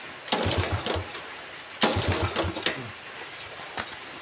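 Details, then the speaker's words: Yamaha Vega ZR with spark plug gap reset to standard: two kick-start bursts of low chugs, engine never catches; weak ignition suspected, not confirmed. "udah enggak mau hidup Guys dengan kerenggangan yang standarnya berarti memang motor ini pengapiannya udah enggak bisa di enggak bisa dipakai"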